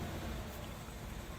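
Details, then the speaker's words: 2010/2011 Nissan Sentra with a rough idle, codes P0300, P0303 and P0171: cylinder three deactivated during a cylinder-cutout test makes the engine lumber and stumble; a misfire was later fixed by replacing an ignition coil. "you can hear the motor really struggling"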